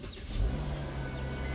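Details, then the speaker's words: 2013 Mercedes-Benz E350 (W212) started after sitting unused for days: engine catches right away and settles into a smooth, even low hum with no knocks or misses; healthy normal idle. "Straight up. And of course, the engine sounds like I mean pretty very healthy. I think I just need to point [music] that out to you."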